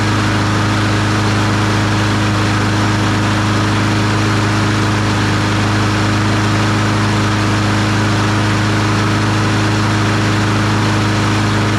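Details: Troy-Bilt TB200 push mower, Briggs & Stratton 550E 140cc engine, after priming and a pull start: steady, even drone with constant pitch and no misses or surging; running smoothly.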